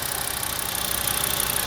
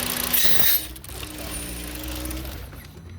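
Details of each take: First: 2007 VW engine idling smoothly after the misfire-causing hose was blocked with a finger; connecting it makes the engine stumble and stall. New plugs and coils had not fixed it, and a faulty breather/PCV valve is blamed. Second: 2007 Volkswagen (Jetta/Passat) with misfire despite new plugs and coils: hiss, then rough idle sagging to stall when a crankcase ventilation hose is connected; smooths when hose is blocked, valve replaced.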